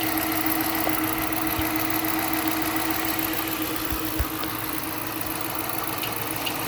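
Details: 2013 Dodge Charger, ex-police car with 140k miles, idling: fast, uneven tapping at roughly three to four per second from inside the engine. It had previously been driven 20 miles with no knock.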